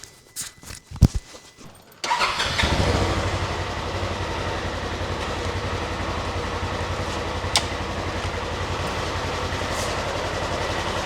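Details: UTV just fitted with a new aftermarket fuel pump, louder than the original, pressuring up on key cycle: engine cranks briefly, catches right away and settles into a steady, even idle; starts and runs healthy, no leaks.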